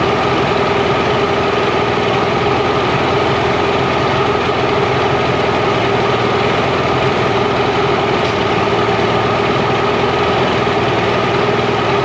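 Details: Mercury inline-6 outboard after #3 cylinder spark troubleshooting: steady even idle near 1100 rpm, all cylinders firing cleanly; idle may drop under back pressure and may be lowered with idle screw.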